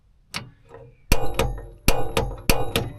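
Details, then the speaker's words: VW California campervan gas hob, gas switch on: sharp, irregular igniter clicks about twice a second with no gas flow and no lighting; caused by a faulty gas regulator valve, not cold butane. "With that, the igniter clicking. There's still no gas coming through and it still isn't lighting."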